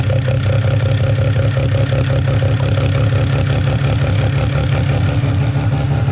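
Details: Mazda 13B rotary on EMPI IDA carburetor, after replacing the fuel regulator that wasn't holding pressure: regulator set from about 2 to 3.5 PSI while running and holding steady; steady, smooth low drone at idle, no misfires, stumbles or hunting. Normal idle.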